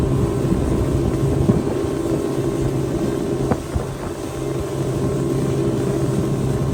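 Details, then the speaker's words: Boat outboard warming up at idle on the water, about 75°F: low steady burble with no stumbles or misfires, normal; earlier it misfired and shook at about quarter throttle but idled fine. "all right we'll let that warm up Let the motor warm up and whatnot and then we'll start doing some test runs"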